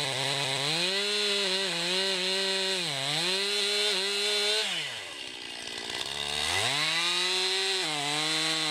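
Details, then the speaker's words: 2020 Stihl MS261 chainsaw, non-M-Tronic standard-carburetor version, 20-inch bar, cutting oak: screams at high revs, pitch sags into the cut and recovers cleanly, pulling strongly without bogging; healthy saw under load. "you can see it handles that oak pretty well too just a good versatile saw"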